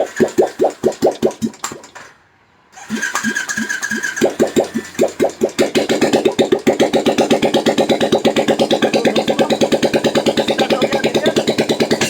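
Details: Royal Enfield single after repair of a tick-tick noise: a few starter cranks, a pause, then it fires into an even single-cylinder thump with no ticking on top; runs clean, normal idle.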